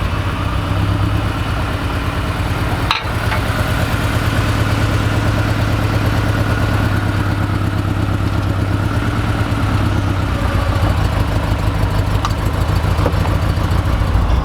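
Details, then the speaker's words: 1986 Porsche 944 4-cylinder driving on the road: uneven, lumpy drone with a stumbling beat that never smooths out, a misfire; owner suspects bad gas and at least one cylinder not firing, cause unconfirmed. "I don't know if it's a combination of bad gas or why it's misfiring like it is, but I feel like I've got at least one hole out of the engine."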